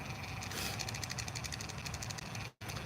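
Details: Animated Mrs. Claus doll motion unit: low motor hum with a quick, steady run of sharp gearbox clicks, about eight a second; main gear suspected of splitting or cracking, opened for inspection after earlier greasing.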